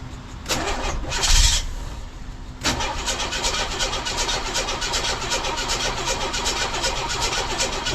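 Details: 1982 GMC S-15 pickup, after refitting the starter with a second bolt and no shims: clean crank with no grinding, a brief pause, then the engine fires and settles into a steady idle. Starter now engages properly; grinding fixed.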